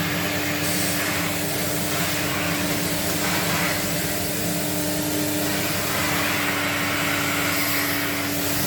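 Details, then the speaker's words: 1979 Electrolux Z96 cylinder vacuum on second hose with small air aperture open: steady rushing suction and constant low hum, no rise or fall; motor still sounds a little tight and laboured, aperture made little difference; cause uncertain. "it still sounded even with that little aperture open just a slight bit still sounded like it was kind of a bit tight"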